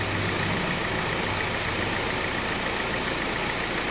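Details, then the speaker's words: 2004 VW Passat TDI 2.0 BHW diesel, runs terribly: idle with uneven, lumpy beat under heavy hiss, about three and a half pulses a second; airflow doesn't respond to EGR command, EGR valve stuck, likely open. "so that means the EGR valve is either stuck open all the time or stuck closed so based on the way it's running I would guess that it was stuck open"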